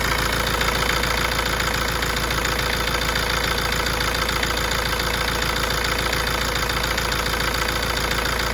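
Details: Tata Safari diesel, also reported to have engine vibration and heating issues: steady idle with a fast light tick of about three or four per second; engine clicking at idle, cause unknown.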